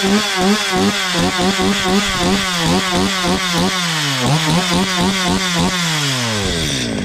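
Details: Stihl MS 230 chainsaw brought in for a terrible noise, running after the slightly loose exhaust was tightened: clean two-stroke revving up and down, crisp and even, no rattle or buzz. The clutch-drum washer play is normal, so it runs healthy.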